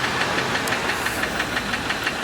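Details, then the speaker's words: Just-purchased used car, about 146,000 miles, after a drive to the lot. A rapid, light ticking knock of about six per second rides on a rough idle. Engine knock suspected, not confirmed. "Just pulled up to the lot, and obviously now it sounds like we are definitely knocking a little bit, maybe."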